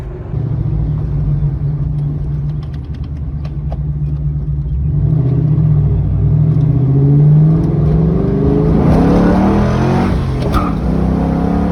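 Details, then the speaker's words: 2001 Ford Mustang GT 4.6 2V V8, lightly floored while driving: revs rise with a rough ticking puff riding on the deep exhaust note; exhaust leak, audible to nearby drivers. "you're gonna be able to hear the exhaust leak you hear that you probably don't like that ticking noise but it sounds terrible and like anybody that's driving nearby me can hear it"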